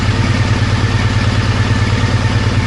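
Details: 3: Triumph Bonneville twin idling after a faulty O2 sensor was fixed, with the injectors cleaned and fuel-line O-rings replaced, and the engine light out. An even, steady low thump with no misses, ticks or hunting; normal idle.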